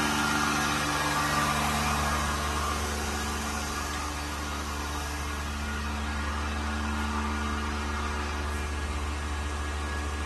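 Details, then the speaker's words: Vacuum pump on a new 1600-liter mixer during vacuum test with empty chamber; steady even low hum and constant motor drone, no knocks or surging, very low noise, pump working stably and normally. "And the vacuum pump is working stably. Very low noise. The whole system."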